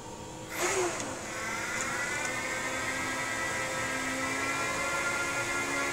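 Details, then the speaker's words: Apple Xserve salvaged from e-waste, upgraded with an SSD, power supply fan already running, power button pressed: fans whoosh up to a high, steady roar with even whine, no grinding; normal server fan spin-up at power-on. "yep that definitely sounds like a server to me"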